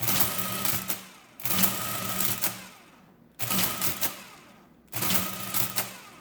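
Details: Early Marchant Silent Speed 10M mechanical calculator, case off, during a drivetrain demonstration: a fast clattering mechanical whirr in bursts about a second and a half long with short gaps, as the gears and clutch cycle cleanly; normal operation.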